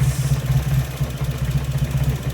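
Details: Nissan 240SX at about 970–980 rpm: low, uneven idle with lumpy, irregular pulses that waver and sag, spluttering until it dies; rough idle, TPS sensor being tested.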